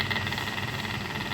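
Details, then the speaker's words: Gelopar freezer with a steady hum and fast, light rattling tick as the loose micro condenser fan, with a broken base, strikes the condenser coils; fixed by replacing the fan and cleaning the condenser. "então ventilador que puxa agarra entre essas essas molas aqui da condensação tá vendo e tem que sempre tá limpando"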